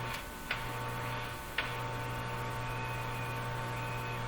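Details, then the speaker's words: Eatons Universal Electrohome floorstanding tube radio, audio signal injected past the first tube and transformer at full volume; steady low hum under the output with a couple of clicks from the generator lead; hum thought inherent to the radio and less audible at normal volume. "I doubt the hum is coming from here Dom is inherent in the radio the volume is about halfway no it's actually full full okay so if you turn it to a more normal position I don't hear much of that"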